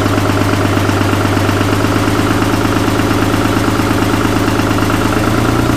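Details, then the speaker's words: Cummins diesel in a Jeep YJ on first start-up: slightly choppy at first, then a steady, even diesel clatter with a firm low drone and no misses or knocks; idles smoothly and healthily. "Sounds good. Had me a little concerned at first. It was a little choppy sounding, but they sound so funky pulling intake air too."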